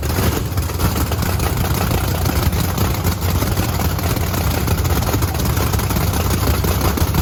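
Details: Blower V8 Camaro on methanol after cleaning gunked fuel nozzles: hard, loud run held steadily for several seconds, strong even firing with no misses or stumbles; sounds healthy and crisp.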